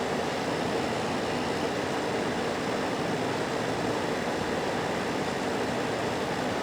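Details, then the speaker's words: Hisense dehumidifier with an E9 error, switched to continuous mode; owner thinks a connection may have come loose. The pump kicks on with a steady, even hum and airy rush, no knocking or rattling: normal running. "there we go hey there the pump kicked on I hear it running now"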